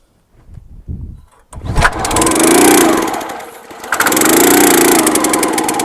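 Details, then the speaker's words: County Line 25-ton log splitter small engine, bought as-is, pull-started after starting fluid down the carb: catches briefly and fades out twice without holding a run; cranks but won't start; carb later found with rust and water, suspected plugged. "All right, she's definitely not running without assistance, so I'm gonna go ahead and rip that carb off, and hopefully it just plugged or something."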